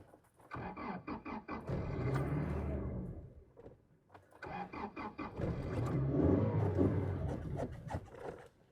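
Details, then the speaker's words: 2006 Toyota Tacoma 2.7 with P0171 system lean, fuel pump and MAF already replaced: on two tries it cranks, catches and revs briefly, then dies within a couple of seconds. Starts then stalls. "Oh, it's just starting and dying."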